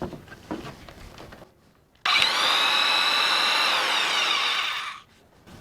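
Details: Two-range corded drill, grounded plug, stiff range change, used for big holes, just shifted to high speed range: clean steady high whine holds even for three seconds, no knocks or grinding; normal high-speed running.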